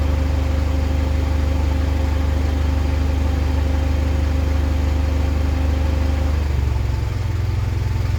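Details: 2010 Mitsubishi Pajero NT, random misfire at idle and driving persisting after carbon cleaning, plus flat spot from standing start: idle with uneven lumpy beat, note shifting partway; cause not yet found.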